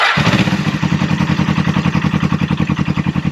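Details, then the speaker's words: 1980 Suzuki GS250T motorcycle, first start of the day after carb cleaning, oil change and full service: catches on the first press and settles into an even, steady twin beat; clean, healthy normal cold start. "Instantly starts up for a 1980. That's pretty good. Yeah, she sounds good. She runs good."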